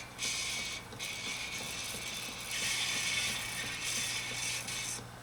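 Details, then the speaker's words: 1950s RCA record player stylus playing a record, tried at 45 rpm: steady hiss and crackle with a faint repeating tick as the stylus scrapes the groove; heavy tone-arm pressure on the head is suspected, spring adjustment unknown. "oh yeah I can hear that sound coming from that stylus let's try 45."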